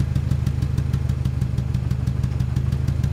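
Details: 1997 Ford Ranger rough idle: uneven, lumpy idle with a low chuff skipping about three times a second. Cylinder 1 has 60 psi versus 180 psi on the others; leak-down air escapes from the crankcase breather, oil cap and dipstick tube. Dead cylinder from cracked rings.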